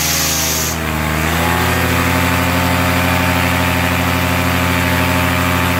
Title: AC nitro 200 buzzing noise